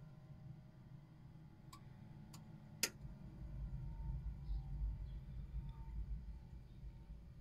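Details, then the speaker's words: Alde 3020 caravan heating system with inline circulation pump, Bailey Unicorn III Barcelona 2015, shown operating normally: a few sharp clicks from pump, then soft low fan hum building steadily, igniter clucks; normal heater start-up. "so the first sound was the pump the second sound was the fan and then you could hear the cluck of the igniter"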